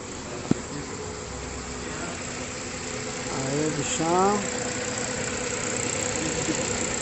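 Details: Ford Fiesta after timing chain noise repair, with new cover gasket: even, settled idle with no ticking or rattle from the front of the engine; brief rev, nothing abnormal. Normal idle.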